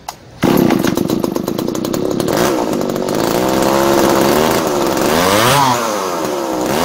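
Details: Tanaka ECS-4000 chainsaw after carburetor repair (cleaned, new diaphragm), previously would not start despite fuel filter change: fires and runs steady with crisp buzzing exhaust, revving up and down cleanly; healthy, responsive running.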